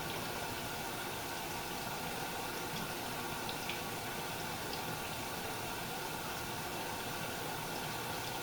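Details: Samsung dishwasher after removing a piece of plastic from the circulation (wash) pump: steady, even rush and splash of water filling and circulating with no grinding or rattle; normal sound.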